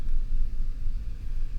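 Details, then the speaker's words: 2014 Ford F-150 3.5 EcoBoost after coil connector repaired and codes cleared: low, steady rumble with no stumbles or misfires; smooth running. "La troca está jalando al 100, bien parejita, no hay ningún missing fire, es está toda máquina."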